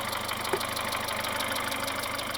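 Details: Mitsubishi Shogun Pinin 2.0 GDI 4G94, fault code P0190, lacking fuel pressure: uneven ticking idle about five times a second; fuel pressure sensor reads constant 4.8 V engine off and running, suspected sensor/connector fault or clogged high-pressure filter.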